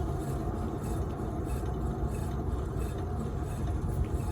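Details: 2011 Skoda Superb (bearing shared with VW/Audi/Seat), rear wheel spun by hand on lift: steady low rumble with rough gritty edge; noise present driving straight; worn rear wheel bearing needing replacement.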